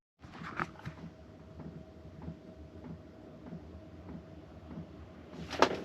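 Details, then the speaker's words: Diesel heater (5K) installed in a VW Vanagon, wrapped in towels for noise deadening, heard through the closed cabinet at lowest setting: soft, even hum with a faint steady whine, no knocks or surging; quiet, normal running. "I'd say that's pretty quiet. I can probably sleep with that with no problem."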